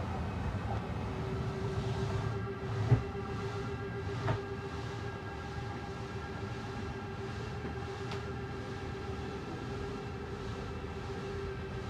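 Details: Slide-out motor on a 2022 Jayco Eagle HT 29.5BHDS travel trailer retracting with a steady, even hum of constant pitch, no knocking or straining; the loud noise at full extension is normal.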